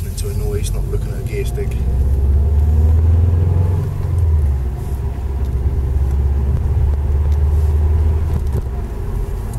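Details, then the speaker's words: Subaru Impreza WRX, 5-speed gearbox, center diff bearings replaced and shafts shimmed: driving with steady low road and engine rumble and no speed-related whine, complete silence. "this is the center diff bearings haven't been replaced on the new AG WR WRX 5speed gearbox complete silence"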